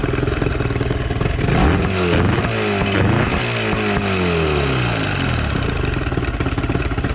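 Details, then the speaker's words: Two-stroke outboard after new zip-tied fuel lines fixing a fuel leak and idle/timing adjustment, idle screw maxed out, impeller still needing replacement: revs up then falls back to a slow, uneven putter slightly below proper idle, but doesn't die. "doesn't die which is good idle's just slightly low need a new impeller still got to do"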